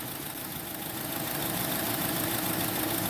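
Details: 2010 Honda Accord 2.4L with new ignition coils: uneven, lumpy idle with regular stumble about four times a second; cylinder 1 dead, disconnecting its plug and injector changes nothing, compression 60 psi on 1 versus 150-182 on others.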